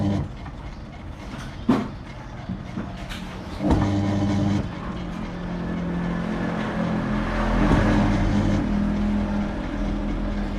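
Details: Toshiba 9 kg top-load washer (WB1000-type), on spin-dry test, owner reports loud noise under machine and failure to spin-dry: steady low motor hum building smoothly, fairly quiet, with no audible bearing rumble or grinding.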